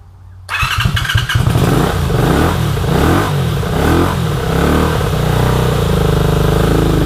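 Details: 1983 Honda VT250 V-twin, 63,500 km, after freeing seized carburetor slides: it catches and settles into a steady, even, lumpy idle with clean throttle blips and no knocks or rattles. It runs healthy.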